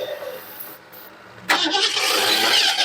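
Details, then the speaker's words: 1975 Ford Mustang II, 302 V8 with 2-barrel carb, automatic, sat about 40 years after a fire: weak battery, uneven cranking and whirring with throttle opened, never fires; cranks but no start. "twice now the battery's been pretty much dead and wasn't want to crank it over but maybe it'll work this time"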